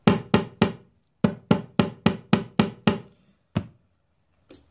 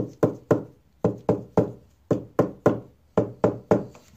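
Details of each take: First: Acoustic guitar top tapped over a loose brace, compared with an already reglued solid one: sharp taps about four a second, each with a dull, buzzy tail. The brace is loose inside. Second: Tap test on an acoustic guitar top over a reglued brace: clean, dry knocks in small groups that die away quickly with no buzz or rattle; brace solidly glued.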